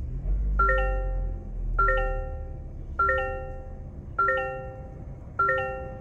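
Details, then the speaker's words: 2023 Toyota Corolla XSE normal startup warning chime, changed for 2023: five bright, rising bell-like chimes about every 1.2 seconds. "the warning chime when you start the car did change let's take a listen to that"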